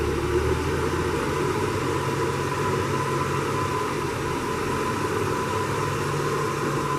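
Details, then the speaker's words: 1966 Ford F100 on a test drive after carb work and idle adjustment: an even, steady engine drone under cab and road noise with no knocks, misses or surges; it feels good on power and runs smooth. "it's going good driving good so so far up the temp door seals are working um feels good on power smooth"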